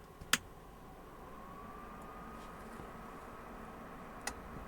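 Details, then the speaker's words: Digital Designs M5 car amplifier after repair and cleaning, powered on via remote: one sharp relay click then faint steady fan hum; amp powers up normally. "On entend le v le ventilateur et le on a eu le claquement."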